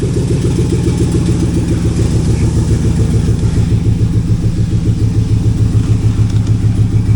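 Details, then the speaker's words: 2002 Chevy Silverado 2500HD, 6.0L LQ4 V8, 4L80E, 212,542 miles, started and idling: loud rough idle with raw chuffing pulses from a gnarly exhaust leak. "Uh LQ4 under the hood with a gnarly exhaust leak. I'll go ahead and fire it up."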